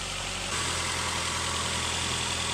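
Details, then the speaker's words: Nissan Altima with P0420 code, just after catalytic converter replacement: smooth, steady idle with an even hum, no puffing or rumble and no audible exhaust leak; quiet, normal running. "all right let's see if she's loud rumbling oo nice and quiet that's a good sign burning off all the PB"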